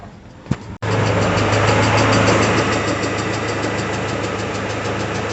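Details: Peugeot 406 Coupe, 244,000 km, after timing belt replacement, cold engine warming at about 50–52°C coolant with air in cooling system: steady light tick about three per second over idle, fading as it warms; hydraulic lifters.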